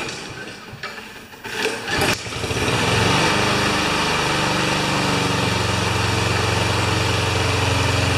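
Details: Craftsman mower with Honda GCV160 engine, in for a released rusty rewind spring, started cold to warm up; a few pulls, then catches and settles into steady even drone, no misses or knocks; running fine.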